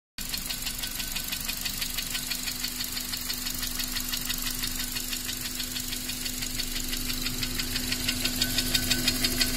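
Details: Honda Accord 7th gen, K20A engine, after oil starvation: sharp metallic knocking about three times a second over the idle, growing louder, from cylinder two in the upper block; engine knock.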